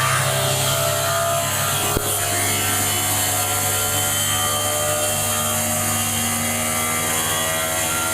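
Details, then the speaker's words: Inverter heat pump compressor serving a small hotel, ramped from 30 to 90 revolutions per second (about 5,500 RPM); loud, steady hum with constant tones and no knocks. Normal at full power: about 27–30 kW heat from 5.2 kW input. "It's going to get really loud now, but that's okay. Right now, it was running at 30 revolutions per second. Now, it'll go up to 90 revolutions per second."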